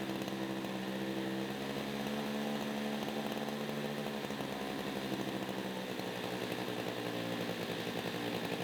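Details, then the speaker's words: Stihl MS361 chainsaw after muffler mod (reduced back pressure): steady high-pitched two-stroke scream at full throttle, no bogging; owner suspects slightly lean running needing high-speed carb adjustment, unconfirmed. "it is running leaner, which I'll need to adjust the high adjustment on the carburetor. But we're going to run it for a little bit and see what we think."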